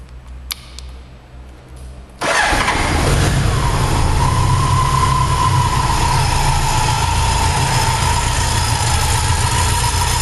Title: BMW K100 rattling noise 1/2